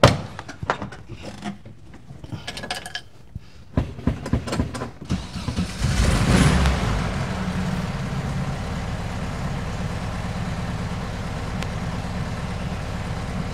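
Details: 1971 VW bus, sat for 2 years, starter just replaced: a few clunks, then the engine catches and settles into an even, low, steady idle; normal start and idle, running again with more fixes to follow.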